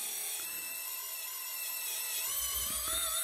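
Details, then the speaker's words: Small pump on an RC hydraulic Hidromek excavator model cavitating: high gritty whine that roughens and wavers as the boom lifts under heavy demand; too little oil in the tank, fine bubbles visible as the pump starves. "so there's a demand in there there's a huge demand and the pump is trying to draw the oil and there isn't enough of oil in the tank"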